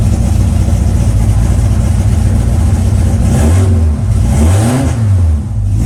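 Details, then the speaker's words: E85-fuelled engine just converted from solid to new hydraulic lifters. It cranks uneven and lumpy, sounding down a cylinder. Owner suspects no oil in maybe two lifters; compression test planned. Cylinder misfire. "all right well if you heard it cranking it sounds like it's down a cylinder which either is there's no oil in maybe two of those lifters so i'm gonna have to probably do a quick compression test just to see"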